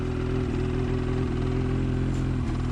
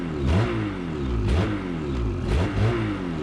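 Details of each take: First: New 2019 Ski-Doo MXZ Blizzard 600R E-TEC two-stroke, just started after a year crated, cold and in break-in mode burning extra oil; low buzzy idle with small dips and stumbles every second, windshield shaking; rough idle, cause unconfirmed. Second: New 2019 Ski-Doo MXZ Blizzard 600R E-TEC two-stroke, recorded on a GoPro mic: throttle blipped about once a second, pitch snaps up and drops back cleanly; normal free revving.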